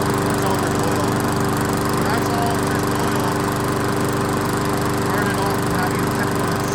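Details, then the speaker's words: Old 22-inch Weedeater walk-behind mower after seasonal tune-up and blade refit, brief run: constant, even buzz at steady speed with no surging or sputtering; sounds good. "all right well we didn't run it for that long but it sounds good"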